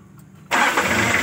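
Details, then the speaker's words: Kia Bongo 2 diesel, morning, hard start fixed after checking the glow plug heater sensor beside the temperature sensor: fires on the first turn and settles straight into an even idle; clean, healthy start. "So okay na gana lahat RPM."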